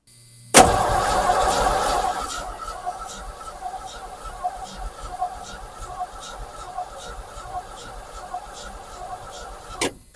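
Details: 1986 Ford F150 sitting for years: short burst of cranking dies to faint regular ticking, engine never fires; crank no-start, fuel pump heard working but not delivering fuel, owner suspects fuel filter or pump.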